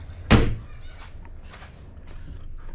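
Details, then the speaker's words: BMW E53 X5 rear tailgate after the latch repair: single solid thunk as it shuts and latches cleanly, locking and unlocking with no more clicking or rattle. "well here we go it locks it unlocks it no longer does the weird clicky thing"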